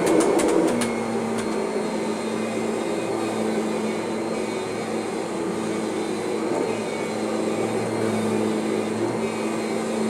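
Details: Kirby upright vacuum hums steadily with only a faint, even whine from its drive transmission; most of the original normal transmission noise is gone.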